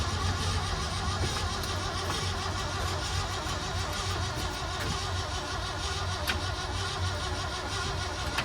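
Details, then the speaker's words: 1976 crew cab truck on a fresh battery: steady starter churn with a couple of brief catches that never pick up; cranks and fires but won't run; owner suspects a bad, leaking fuel pump. "Truck is turning over. Fired up a couple times, but didn't run."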